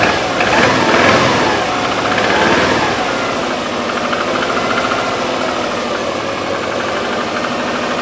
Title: subaru legacy twin turbo engine knock